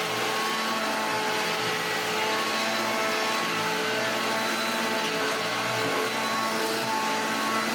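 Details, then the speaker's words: Hoover Junior 1334 upright vacuum, loft find: harsh, rattly high-speed whir with a gritty edge over the motor hum; one motor bearing is completely gone, leaving visible shaft play. "Oh yes, you can tell that one of the bearings is completely gone because moves it. Shouldn't be able to do that. So that is the play. That is why it sounds awful."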